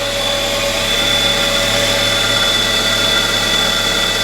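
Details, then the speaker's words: Flood-damaged 1998 Mitsubishi Eclipse Spyder GS 2.4 L, no water got into the engine, idling right after its first start following relay and computer work and a new battery; check engine light on, no smoke; steady smooth idle, runs great. "It actually runs great. It started up like that. I just, not a problem."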